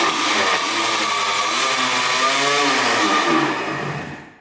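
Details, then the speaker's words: 1984 Yamaha IT200 two-stroke dirt bike: buzzy revs about four seconds on gas poured into the carb, then sags and dies; carb not feeding fuel, needle believed stuck; fuel starvation. "yeah i must not be getting gas every time we dump gas on the carb it starts right up"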